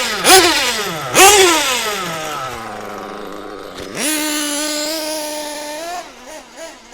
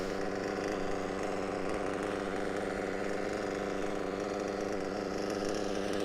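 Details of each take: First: Mugen MBX6T nitro truggy. High-pitched blips, burbling and uneven between revs, slow to clear. Mixture a bit rich. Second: A lovely Reds WR7 Diamond Edition engine running an absolute treat inside a Mugen MBX6T whatever it's called. Pleased with that, very, very pleased.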